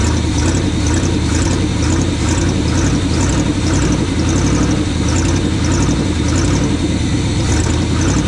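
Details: 1980 Chevy K20 squarebody 4x4 with freshly rebuilt Quadrajet carb and new fuel filters, warming up after start: steady, smooth, even idle without misses, sitting a little high; vacuum leaks to be checked, later tune idle circuits with vacuum gauge.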